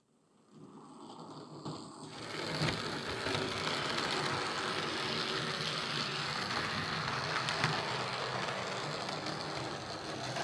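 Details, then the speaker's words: Hornby R2309 King Class "King George VI" model locomotive in BR Blue running forwards: small motor buzzes with a steady dry grinding rattle, three to four gritty beats a second; a slight grinding it shouldn't make, gears short of lubrication. "Yeah, it's not bad. It's making a wee bit of a grinding sound going forwards, which it shouldn't be doing, but it's not that bad."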